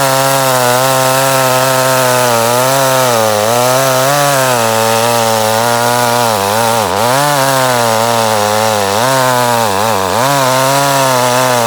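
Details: Echo CS 310 chainsaw, six to seven years old, cutting wood after a new spark plug fixed months of poor running: strong, clean note dips under load and recovers quickly; pulls smoothly, normal running under cutting load.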